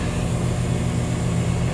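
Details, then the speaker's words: Condenser of a 2-stage central AC at a rental property, restarting right away on first stage, drawing about 15 amps total; deep even low drone, steady hum, no rattles or surging; normal running. "So I'm going to go back out again and try it again. So it came back on right away."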